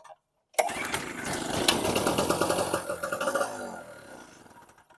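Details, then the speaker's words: Storm Cat 700 W generator, 63cc two-stroke on 50:1 mix, fuel selector on: it catches on the pull, buzzes unevenly about three seconds, then dies. Starts then stalls; a non-vented cap or vapor lock is suspected, unconfirmed. "Same thing, start and stall."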